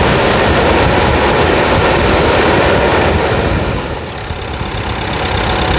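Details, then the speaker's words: Nissan Frontier diesel, automatic, 70,000 km, in for suspension noise: steady diesel clatter at about four beats a second, even and unhurried with a brief dip; typical healthy diesel idle. "Tá certo então vamos lá vamos ver o seguinte e a gente não ouve a melodia do motor Nissan na mesa"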